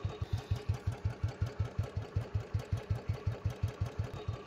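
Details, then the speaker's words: Royal Enfield Bullet with hydraulic tappets, running at low speed. Even slow single-cylinder thump at about 167 per minute with no tapping over the beat. Normal low-speed running; the hydraulic-system sound is expected even on a new bike. "అవన్నీ మావలే, మనం కొత్త బండి కొన్నా సరే ఆ sound ఉండాల్సిందే. నార్మల్గా slow speed అలా ఉంది."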